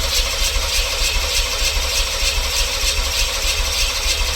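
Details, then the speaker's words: LT1 V8-swapped Jeep YJ, crank no start: even, pulsing starter churn turning the engine steadily without catching; spark and compression confirmed, runs briefly on starting fluid, fuel pump heard kicking on; owner suspects fuel pump/fuel delivery. "And I don't know if you can hear it or not, but the fuel pump sounds like it kicks on, but it's not wanting to go."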